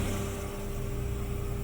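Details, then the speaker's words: Honda Fit automatic (2008–2013) idling in reverse with AC on: uneven low rattle and steady whine, transmission feels disengaged as if in neutral; not the gearbox but a faulty throttle body (TBI). "ele faz um barulho que nem de chocalho e ele desacopla como se tivesse no ponto morto"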